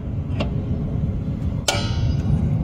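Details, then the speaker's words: 1990 Jeep YJ 4.2L 5-speed rear drum brake being adjusted with a brake tool, star wheel turned while the wheel is rotated until light drag: sharp separate clicks over a low rumble, one per notch; normal self-adjuster clicking. "that little click so what I do with one hand I'm turning that star on the other hand I am turning the wheel I'm not just turning the star and hoping um so you can hear it audibly click"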